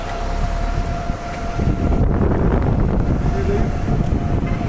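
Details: Electric golf cart, after the wiring was overhauled and the motor controller replaced, rolling along with a steady thin motor whine over low tyre and ground rumble. Running normally.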